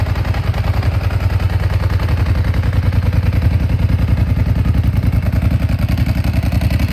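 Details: Ducati 749S on its weekly warm-up: lumpy twin idle at about three and a half pulses per second with a dry, loose rattle on top; normal dry-clutch chatter, not a fault.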